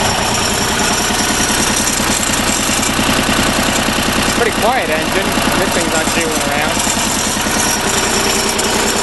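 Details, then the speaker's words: Deutz diesel generator set, first start after repair, generator producing over 50 volts, run at low speed: steady even idle, soft regular beat, no knocks or rattles; normal idle. "So, I'm going to start it up on a low speed and rev it up a little bit and show you guys what it does."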